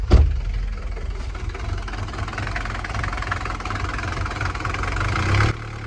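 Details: Mercedes 240D diesel after valve adjustment and injector pop-testing/rebuild, first start with empty fuel lines: catches into lumpy clattering idle with uneven beat, still smoky; owner thinks not all cylinders firing yet, cause unconfirmed.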